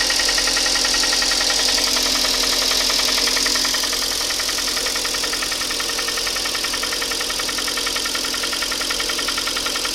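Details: Hyundai ix35, 64,000 km, Shell 5W-30 changed every 7,500 km, idling: steady knock three or four per second; piston slap from scored cylinders 2, 3 and 4, repaired under warranty.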